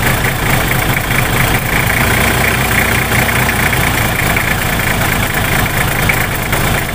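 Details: Nissan Patrol GQ TD42 diesel that ran out of fuel and would not start: settles into steady, low, even clatter with no misses or hunting; normal idle.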